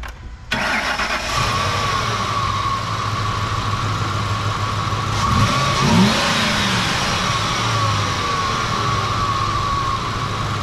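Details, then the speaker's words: Ford F-150 that died with no fuel (P0174, P0191) restarted after new fuel rail pressure sensor and fuel sending module: short crank, catches and settles into a steady, even idle, no stumbling or dying; fixed. "sweet it looks like we're good I'll keep an eye on it probably just gonna drive around like locally for now just to make sure that um everything is running and working the way it should"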